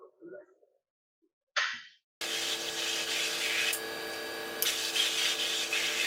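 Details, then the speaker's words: OMAX waterjet cutter at the pierce point with the high-pressure pump on: near silence, then a loud, steady, low growling rushing hiss as the jet cuts, even with small surges; normal, successful cutting. "you hear that low kind of growling sound that's the sound of successful cutting"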